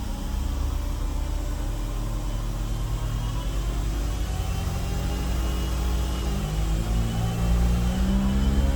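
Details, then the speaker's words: Car driving at about 35–40 mph with a worn front wheel bearing: steady, loud low droning airplane-like hum under road noise, coming from the front end. "So we're at about 35-40 miles an hour right now, and I can hear quite a large humming."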